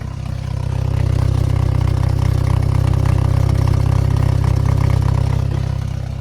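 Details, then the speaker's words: Pontiac after replacing the starter and fixing a ground wire: starts and settles into a steady deep idle with even pulse, no knock or stumble; may smoke a little; normal idle. "Hell yeah, brother. It's alive. I don't know. Listen to it run, man."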